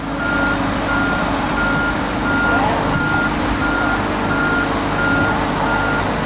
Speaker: In case you're wondering who's handling the travel lift, there he is right there with the yellow remote control box. Big smile on his face. And you can hear it beeping.